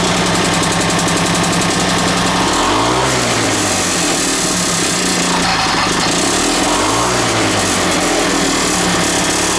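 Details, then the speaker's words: 1980s Mountfield AV85S two-stroke lawn mower, first start after sitting, run rich: harsh rattly running with an irregular metallic knock through the buzz, possibly bottom-end damage, though a carb or fuelling issue was not ruled out; cause unconfirmed. "there's definitely a knock in there but now we know that it does actually run"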